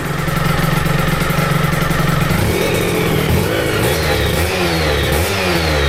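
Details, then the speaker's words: Aprilia RS125 1990s two-stroke on temporary battery after coolant leak repair, with new air filter and modified airbox: crisp idle then clean blips rising and falling smoothly, no stumble or rattle; running sweet. "As you can hopefully hear, sounding and running absolutely sweet."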